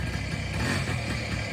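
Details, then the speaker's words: 1983 Honda PA50II moped, first start in three years after the CDI wire was grounded to restore spark: a soft, even, quiet two-stroke idle with a steady patter and no knocks; normal idle. "oh it's going yeah wait it's going it's so quiet I didn't even hear"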